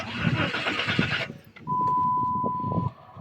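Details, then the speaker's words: 2007 Dodge Charger after replacing blown fuse and repairing shorted wire under intake: starter churns about a second without catching, then warning chime; cranks but won't start as fuel not yet primed after injectors were removed. "bensinnya belum naik Guys kita tunggu dulu karena barusan kan dibongkar injektornya"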